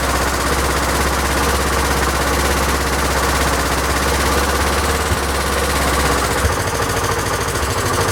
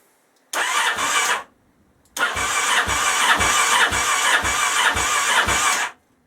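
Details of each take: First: Honda XL1000 Varadero V-twin after rebuild, idle speed raised because it ran low and kept cutting out: loping but even idle holds a steady beat without stumbling; normal idle, much better. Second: Honda XL1000 Varadero, first start after rebuild: catches and runs rough with sharp puffing chuffs and uneven beats, slightly smoky; exhaust blowing at a joint because of the clamp on the other side, to be dealt with.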